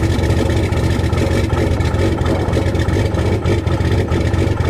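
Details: Cummins diesel cold start in freezing weather with grid heaters disconnected, camera at rear of truck: uneven, lumpy clatter with an unsteady rumble at idle, engine clearly not happy; rough cold-start idle without grid heaters.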